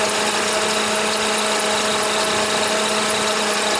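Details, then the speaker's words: Toyota Highlander (2003 or 2007) idling, battery dead, alternator output falling from 13 V to 11 V: constant hissy whir with steady whine and faint squeal that doesn't change; bad alternator. "the battery is definitely dead but alternator is not putting out before it was like 13 volts now it's down to 11 so let's put up pull up a a wiring diagram of this charging circuit and uh see what's going on but that alternator sounds pretty pretty bad"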